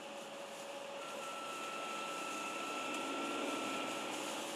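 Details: BMW 330d (listed as 346 330d) engine: a steady high whistle holds over a quiet, airy engine hum; the cause of the whistle is unknown.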